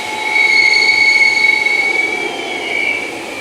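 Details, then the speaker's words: BigBoi BlowR Pro car dryer on half setting for both: a piercing steady whistle holds pitch for seconds over the airflow rush. The owner wonders if half speed causes it; cause unknown. "i don't know if that's because it was on half speed but did you guys hear that whistling sound that was very annoying"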